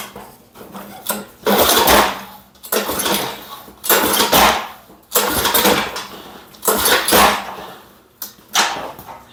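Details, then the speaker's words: Lawn-Boy Silver Series model 10302 (1994–97) mower, sat 15 years, liquid wrench in cylinder: repeated pull-cord whooshes with brief coughs and kickback, no catch; owner suspected sheared flywheel key, actually blade loose on crankshaft adapter. "it keeps kicking almost like the timing's off on I wonder if it's got a split uh flywheel key on the way it's kicking kicking back on me very good chance it does"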